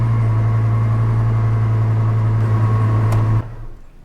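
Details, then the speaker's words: Chevy Colorado / GMC Canyon crew cab just after fuel pump replacement (AC Delco MU1385), starting right up: steady smooth idle with a constant low hum, no misses or ticking, then shut off. "Yep, there she goes. Fires right up."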